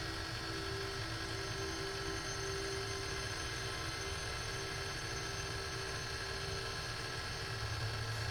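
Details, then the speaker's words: AT&T Unix PC 3B1 booting from its original physical MFM hard drive with System 25 AAS: steady spindle whine with faint low hum and constant high tones, no scraping or grinding; old drive spinning normally as it should. "So far so good. That's the way it's supposed to sound when you have a physical hard drive."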